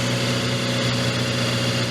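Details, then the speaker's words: Salvage Scion FR-S on first start after adding a little fuel: steady even low hum with no misses or knocks; smooth normal idle. "That is freaking awesome. Oh my gosh, it freaking runs."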